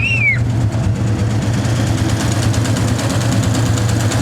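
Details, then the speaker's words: 1961 Chevy Apache V8 after an oil pump change and fresh spark plugs, still warming up: a deep, steady, even idle with no misfire, idling a little higher than before. "I'll bet it even runs a lot smoother now. Let's fire this up and see what happens. Oh yeah, it's even idling a little higher."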